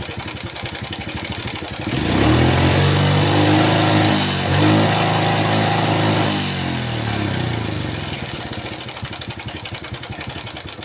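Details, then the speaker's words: Honda Supra Pit X / Pit New motorcycle from the 2000s, owner reports very rough engine sound: idles, revs and settles with a rough metallic clatter over the exhaust; chain cover opened confirms loose, overly long timing chain rattle. "Ternyata benar memang rantai timing ini yang menjadi penyebab suara kasar tadi."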